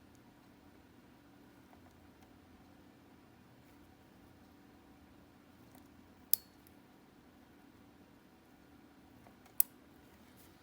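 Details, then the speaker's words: Alfa Romeo 156, cranks but won't start, ECU ground wiring suspected, fuel pump not heard running: two crisp single relay clicks about three seconds apart over near silence; fuel pump relay switching normally, +30 should reach the pump. "As you could hear the relay is working. We should now have +30 current at the fuel pump."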